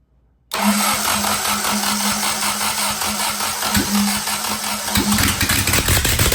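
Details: Willys F134 engine that sat for years, suspected of flooding with too much fuel, electric fuel pump unplugged before this attempt: catches and settles into a ragged, unsteady run with an uneven beat and a steady hum.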